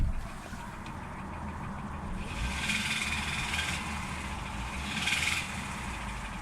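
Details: 2010 Renault Mégane 1.4 TCe, 96,000 miles, petrol idle: light uneven tapping knock from bottom end; diagnosed as worn big-end bearings, replacement engine or repair required.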